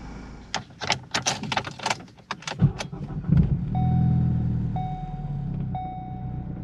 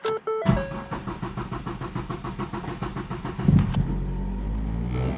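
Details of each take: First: 2014 Ford Focus, 141,000 miles, after fixing low fuel pressure and clearing P0087: starter catches almost instantly under chime beeps, settling into a smooth steady idle; starts right up. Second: 2014 Ford Focus, 141,000 miles, limp mode with P0087 low fuel pressure: about three seconds of even cranking before catching, then revs high; long crank from low fuel rail pressure, suspected failing high-pressure fuel pump.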